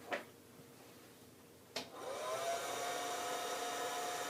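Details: Harvest Maid food dehydrator retrofitted with a hair dryer wired into its original circuitry, first power-on test: a switch click, then the fan spins up to a steady, even whir at constant pitch with no sparks or crackle; normal running.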